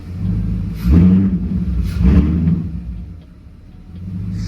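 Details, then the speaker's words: BMW E39 540i M62 V8 just fitted with an 84mm N62 throttle body on an M60 intake: two free-rev blips rise, sag and dip instead of climbing crisply, with intake suck audible. Slightly boggy; owner thinks it may need a tune. "o she is a little boggy there huh I don't know it's a little tough there I definitely already hear the intake"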